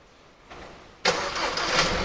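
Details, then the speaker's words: 2022 KIA Sportage X-Line started with remote start (runs 10 minutes then shuts off): short starter whir, engine catches with quick flare, drops to smooth quiet idle; normal engine start. "anh em nghe tiếng máy nổ máy rồi ha đó thì tình trạng nổ máy của cái chiếc xe này nó như thế này á"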